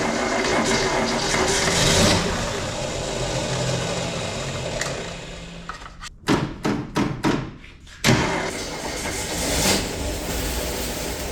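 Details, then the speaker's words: 1967 Ford Mustang, sitting since 1986, first start after fuel was fed to the carb: it catches to a steady idle, but the exhaust is oddly hushed and smothered; the muffler is suspected blocked, rodent-damaged and rotted through. "Really quiet. I don't know if that muffler is completely blocked up or... Yeah, there's nothing coming out. That thing's shot."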